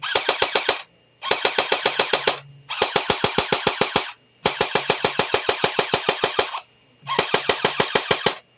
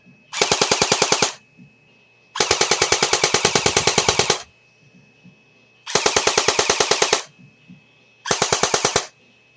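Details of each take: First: JG Mac 10 airsoft AEG on a Tokyo Marui 7.2V NiMH battery with EX converter, about half depleted after a day of testing: short sluggish bursts at about 9 shots a second, roughly 450–500 rounds a minute; low rate of fire. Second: JG Mac 10 airsoft AEG on the stock JG NiMH battery: short bursts of rapid, evenly spaced crisp clicks, a dozen or more per second; gearbox cycles fast, much faster than on the Tokyo Marui battery, normal rate of fire.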